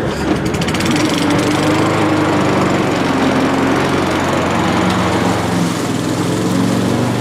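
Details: Old Mountfield push mower with entry-level Honda vertical-crankshaft engine, revived, homemade foam air filter, cutting grass: steady buzzing note dips slightly biting into grass and recovers cleanly; normal running under load.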